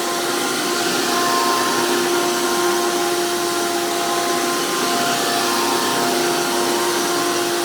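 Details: 2002 Hoover PowerMax II U5246-940 Elite upright vacuum with 12 amp motor and 20-blade fan impeller, after motor work: loud, steady high-pitched roar with even whine, no rattles or speed dips; runs strong with high airflow, normal healthy motor.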